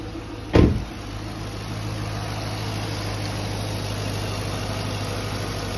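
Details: 2013 Chevrolet Camaro SS, 6.2 LS3 V8, 6L80 automatic, 79,157 miles, stock: single short blip, then steady even low idle rumble with no knocks or misses; idles cleanly.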